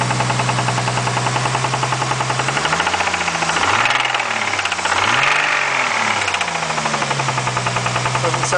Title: spun bearing??